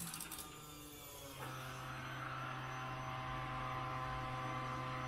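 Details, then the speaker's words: 1967 Camaro after ACES Killshot EFI upgrade, first key-on before first start, temporary line to fuel catch can: quiet steady electric hum holding without starting; normal fuel pump priming. "oh I hear the pump running I have a reading in here let's give this a go yeah"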